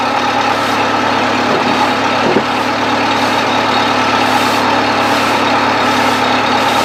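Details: 1970s Bobcat 610 skid steer after cold start on choke: steady idle drone at even speed, no knocks or stumbles; runs good.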